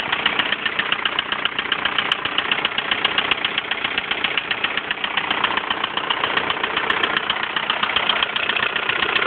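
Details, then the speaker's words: 1999 VW Golf TDI diesel idling out of gear, starts first time even after standing for months: steady idle with a light, even tick about once a second; slightly noisy tappet. "That's the sound of the noisy tappet, so you can definitely tell it's there."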